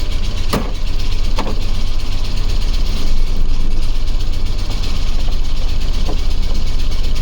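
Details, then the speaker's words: Ford OBS crew cab truck: heavy, lumpy, rough idle with occasional sharp taps, getting progressively more vibration. Oil pressure and battery voltage read normal; cause unknown. "it just sounds like it wants to not be in the engine bay anymore"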